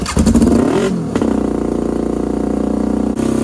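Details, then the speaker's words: Half-scale NASCAR kart engine with new custom aluminum intakes: flares and holds a fast, high-pitched idle of about 4,000 rpm, far too high. "Alright, so yeah, that's actually way too high. Alright, so as you guys saw, it is idling at 4,000 RPM. So that is obviously way too high."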